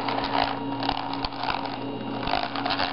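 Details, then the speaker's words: 1/16 Traxxas Mini Revo rear differential rolled by hand after a wheelie: irregular gritty clicks, grinding and catching over faint hum, front diff fine; owner suspects damaged rear diff, not confirmed. "the rear differential when it's or the rear I guess you can call it differential moves it seems to catch it's grinding and catching"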